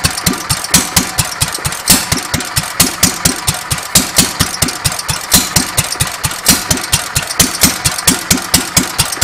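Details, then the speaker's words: Petter A1 stationary engine after timing setup, running without exhaust: sharp single-cylinder bark, even at roughly four beats a second, no misses; running quite well. "but as it stands just for getting it going I think this engine's running quite well"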